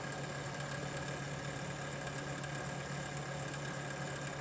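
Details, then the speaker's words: Rear case fan in an Antec computer case, getting louder over time: steady hum with a rough, gritty grinding whir and no speed change; failing fan bearing, fan to be replaced. "It sounds like the rear fan on my computer here is going, because starting to get a little bit of a grinding sound."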